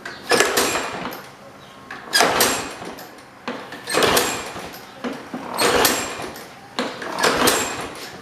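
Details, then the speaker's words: Trash-picked Toro Super Recycler push mower of unknown year with Personal Pace self-propel, not yet given oil: repeated pull-starts, each a brief rasping spin, never catching. Cranks but won't start; owner suspects the carburetor needs cleaning. "It's not looking very good. Yeah. Alright, I'm starting to think the carburetor needs some help."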